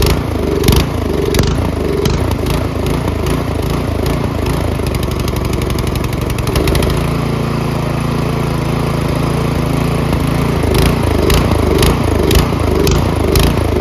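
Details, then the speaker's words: Troy-Bilt Storm 2410 snowblower MTD Powermore engine before carb cleaning, at full run throttle: speed rises and falls unevenly, surging a lot without stalling; half throttle runs nearly fine. Suspected gummy clogged carburetor, too little fuel. "okay see so it it's not as bad as if you put it the full run it'll stall it doesn't actually stall it just surges a lot"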